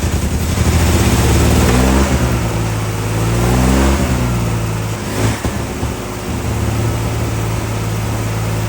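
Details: Early 1974 Triumph TR6 six running after sitting for years, on fuel of unknown age: catches and runs with a steady low beat, revs rising and falling slightly, no knocks or rattles; has oil pressure, then dies.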